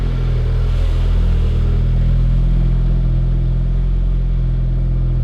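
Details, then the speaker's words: Focus ST "STRS" build with a stroker engine after a custom firewall rebuild, heard from behind the car: deep exhaust note, a light rev, then a steady, even drone without knocks or misfires. The engine runs normally. "Oh, that sounds good."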